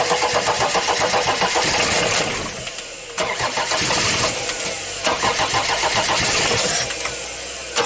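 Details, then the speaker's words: Audi diesel unused at least 12 years, external fuel supply, timing advanced, cranking in gear to build fuel pressure while bleeding pipes: long starter bursts, turns over steadily but never fires; air in fuel lines suspected. "I'll open two more pipes to let the air out The gearbox is in gear Just to inflate the fuel pressure a little"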